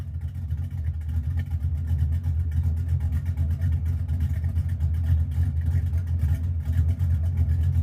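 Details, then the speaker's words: 1982 Mustang GT V8 with new straight-through mufflers, tailpipes not yet fitted: deep, loping rumble at idle swelling on light revving, not much louder than before. "I'll be completely honest. I don't think it's any louder than it was. Um, it doesn't sound a whole lot different."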